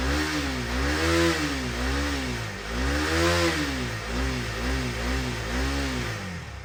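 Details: 2018 KTM Duke 250 single-cylinder, first cold start after sitting dead for a year and battery recharged; idles then blips repeatedly, pitch rising and falling cleanly with each rev; runs and revs normally.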